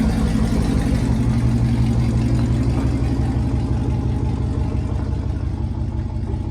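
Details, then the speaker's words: Chevrolet Tahoe just revived after fuel pump trouble: very loud, deep, raw rumble at steady idle with nothing softening the pulses; exhaust running without mufflers. "y'all it is so loud I've got to get some Mufflers put on this thing it's ridiculous but hey at least it runs"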